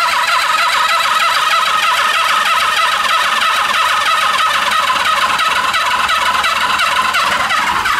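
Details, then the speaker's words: 1970s Honda CB350F 350cc inline-four motorcycle, parked since the 1980s, no carburetors or plugs, previously stuck: starter spins engine fast to circulate oil, light beat about three per second, turns freely but never fires. Cranking after long storage. "I want to hook up the starter and I want to see if the starter works and we can just spin this thing at a high speed and get the oil circulating in the uh oil pump and hopefully start lubricating the rods"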